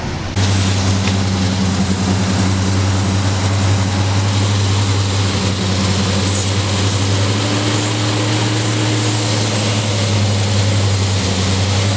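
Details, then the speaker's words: 1999 Ford Ranger idling with a vacuum leak at the hose connector under the throttle body, driver side: steady airy hiss and sputtering, uneven idle that caused stalling at stops. The idle smooths when the hose is plugged. "so if you hear the hissing that's what that is that oh and so when i um when i plug the hose you can hear the engine stop sputtering"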